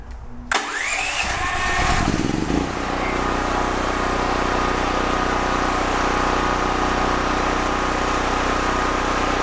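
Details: DuroMax XP13000HXT tri-fuel generator on gasoline with choke, after repair: pull-start, brief catch, then smooth steady run with no misses or surging; normal start and run, voltage and frequency good.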